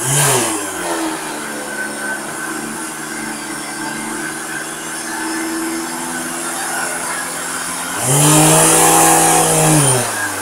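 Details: Vacuum cleaner running with a heavy rotational vibration: steady droning roar like an idling car, pitch climbing as the motor speeds up; owner suspects the ball bearing in the rotating ring is failing or has too much friction, possibly from dust.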